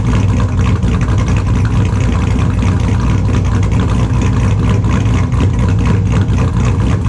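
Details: 2002 Chevrolet Silverado with a built LS V8, idling in the shop after a cold start: extremely loud, lumpy idle with a choppy cam rhythm, every cylinder firing evenly, no misfire or knock; normal idle.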